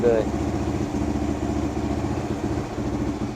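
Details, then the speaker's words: 1978 Kawasaki KL250 single with new fabricated exhaust, cold on full choke, after cleaning points, static timing and new petcock: steady even thumping idle with no knocks or misses; revving better than before, points likely just dirty. "Sounding good. Hasn't warmed up yet, though. But It's revving a lot better than what it did yesterday."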